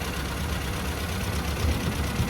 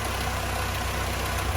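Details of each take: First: Mini Club with A+ 998 engine after fitting a rebuilt HS4 carburetor, timing 8° static and 32° full advance: revs pick up cleanly through several blips and settle back. No more misfire or chuffing; ready for a test drive. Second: Mini Club A+ 998 with HS4 carb, timing at 34° at idle and 52° at full advance: fast lumpy idle with soft irregular exhaust pops; ignition timing far over-advanced.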